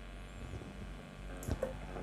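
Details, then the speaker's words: Electric guitar through an overdrive effect at maximum gain: a low steady hum under a faint hiss that persists even when touching the strings; the noise comes from the effect. Hum from high-gain overdrive. "adalah efek overdrive dengan gen maksimal Ketika saya sentuh masih noise tidak bisa kita tolong karena memang ciri khas dari efeknya seperti itu ya Ada Ada noisenya"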